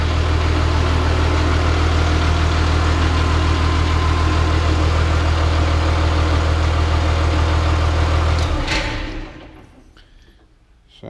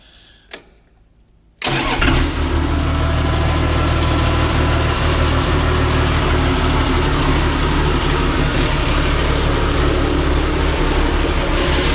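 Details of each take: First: Caterpillar D3C LGP dozer diesel in the shop after refilling hydraulic oil following a blown hydraulic hose. Even, steady idle with a deep, regular throb for eight seconds, then a clean shutdown; the engine runs healthy. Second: Cat D3C LGP dozer fired up in the shop after a blown hydraulic hose was replaced and hydraulic oil refilled. Catches quickly and runs a steady diesel idle about eleven seconds, then winds down and stops; owner believes it ran out of fuel. Engine stalls after starting.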